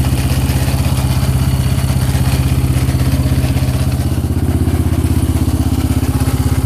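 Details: Yamaha Raptor 700 single-cylinder with valves correctly adjusted: sharp, even clatter at about three beats a second over a lumpy idle; internal rattle of unknown source, owner wonders whether it is crank, rod, head or other.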